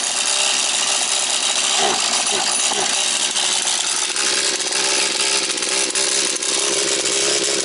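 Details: Husqvarna 240 chainsaw, reassembled, first start of rebuild, still tight, caught on third pull: steady high-pitched two-stroke buzz with no surging or stumbling; owner plans further carb adjustment. Normal running.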